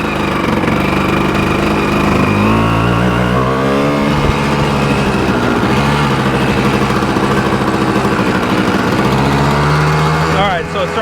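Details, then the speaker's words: 1986 Yamaha Tri-Z YTZ250 two-stroke six-speed, warmed up after a ride. Buzzy idle climbs and settles too high. Owner suspects the mixture screw is set too far out. High idle. "to rev a little high. So, I probably had the mixer screw a little too far out."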